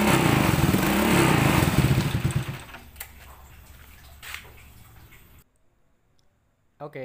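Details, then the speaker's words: Old Honda Supra X motorcycle: harsh, uneven clattering idle for a couple of seconds before dying down; rough running. "seperti yang kita dengarkan tadi suara Honda Supra X lama ini suaranya kasar"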